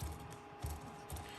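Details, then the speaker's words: HB Racing D2 Evo RC car rear differential, binding eased by a shim at the front of the bulkhead relieving pinching from inaccurate bushings: soft, even gear whirr with light rolling pulses, no catching, spinning free. "I'd like to try a 0.2 because I think of 0.2 will make it even Freer so I mean I haven't tightened this down tight I'm just nipping it up okay and then I'll nip it up [Music] and there you can see now spinning free"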